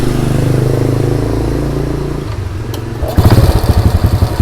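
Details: EX5 four-stroke single being restored, after valve tappet clearance adjustment: after a brief lull it settles into an even, steady idle with no tappet clatter, running smooth and quiet.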